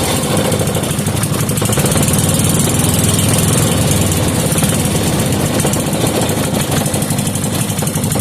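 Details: 5 hp Briggs & Stratton single-cylinder with gear reduction, after carburettor screw adjustment, started without choke and warming up. Quick, even beat at steady speed, no misses or surging; running normally.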